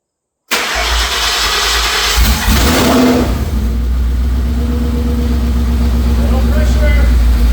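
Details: 2004 Mercury Marauder, low mileage, at first start of a fully forged supercharged 03-04 SVT Cobra swap after 7 years sitting: one crank, then a deep, loud, steady open-header idle with good oil pressure. There is a small oil leak; it sounds healthy.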